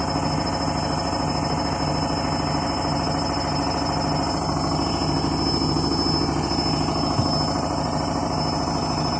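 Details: Candy washing machine on Rapid 30 mini-load program, final spin at about 1000–1200 rpm: steady rumble with rhythmic pulsing near three a second and a thin high whine over it; noisy spin, cause unclear.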